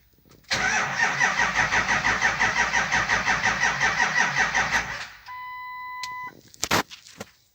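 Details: Ford F450 7.3L diesel. Even starter cranking at about three compressions a second for four seconds, never catching: crank, no start, traced to a faulty camshaft position (CMP) sensor.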